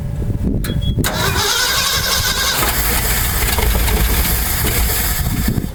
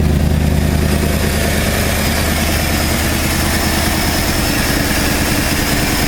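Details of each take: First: 1968 Ford F250 camper special, not run in years, on old fuel with new distributor, cap, rotor, plugs, wires and coil: cranks, catches and runs ragged about four seconds, then dies; won't stay running, traced to a faulty ignition condenser. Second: 1968 Ford F250 camper special V8, non-running for years, first start after replacing the condenser: deep, even idle with a steady low beat, no knocks or misses, mixture screws at 2.5 turns, not fully warmed up; normal idle.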